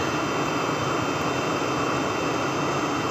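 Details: Webasto Thermo Top Z/C-D diesel water heater on bench test, water pump rewired after a broken wire caused earlier overheating: steady, even burner and fan roar with no pulsing, popping or surging; firing cleanly.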